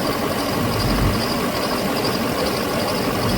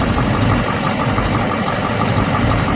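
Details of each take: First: 2007 Chevrolet Silverado 6.6 Duramax LMM with a used replacement engine, after cycling connector 108: even diesel V8 idle with steady rumble and light clatter; the cylinder 6 and 7 misfire and injector codes have cleared. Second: 2007 Chevrolet Silverado 6.6 Duramax LMM with used replacement engine, idling: uneven lumpy beat as cylinders drop out; misfire with injector 6 and 7 control circuit codes.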